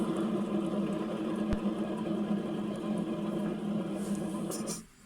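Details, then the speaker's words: Atco GT30 ride-on mower deck spindle (mandrel) turned by hand gives a rough, gritty whirr instead of smooth and quiet; its bearings are on the way out, so the spindle assembly is replaced. "but yeah that sound means the bearings are on the way out it should be smooth and quiet so we're going to replace that one"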